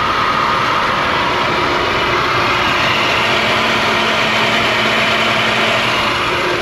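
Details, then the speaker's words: Running engine, not charging, alternator smelling cooked: loud rough whirring rush with faint steady tones from worn alternator bearings. "Smells like the alternator's been cooking and it's not charging. I can hear the bearings on the alternator."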